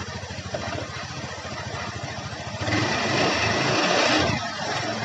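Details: Honda Beat scooter after repairing a front pulley shaft rattle: it idles evenly, revs up smoothly for a second or two and drops back, with no rattle from the front pulley.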